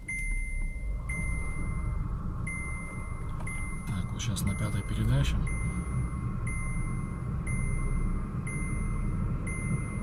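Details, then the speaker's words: VW Polo Sedan on factory Kama tires, front left wheel raised, heard inside cabin in fifth gear at 60 km/h: steady low road rumble, no hum; left front wheel bearing healthy, whereas the right front bearing hums. "Левое колесо не гудит."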